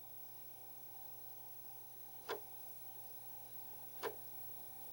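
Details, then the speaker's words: Commodore drive formatting a cheap old double-density disk: two crisp single clicks about two seconds apart over faint hum, each the head stepping to a new track; normal format, which completed fine. "can hear that clicking away each one of those clicks is a new track you can hear that it's so far at least it's formatting this disk line right now"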